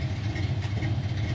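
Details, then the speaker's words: 1988 Ford Mustang LX 306 V8 warmed up: deep, even burble at a steady speed, idle picked up, no lope. Below about 130–165 degrees it floods and barely runs. Healthy warm idle. "like the idle picks up and it runs like like it should fakes the gas fine I mean as soon as the motor warms up it turns into a totally different car"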